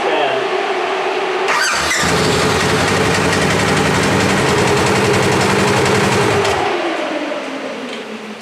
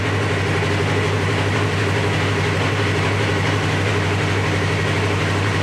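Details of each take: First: 2017 Polaris RZR XP 4 1000 in limp mode with multiple codes (coolant temperature, speed, gear, EPS, throttle body), ECU reconnected: steady fan whoosh present at key-on before the engine fires and after it stops; radiator fans running at startup from faulty ECU. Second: 2017 Polaris RZR XP 4 1000 after limp mode and multiple codes, first start with a new replacement ECU: started right up, fans didn't kick on, steady even idle with no knocks or misses; check engine light still on.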